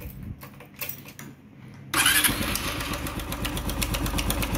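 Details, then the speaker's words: Honda Cargo 150 motorcycle running with valve cover off: fast, light top-end ticking over the idle, sounding worn, owner suspects rocker arm bearing; rocker arm tick. "y aprecian el sonido es un ruido como de algo desgastado como de un balero de balancines"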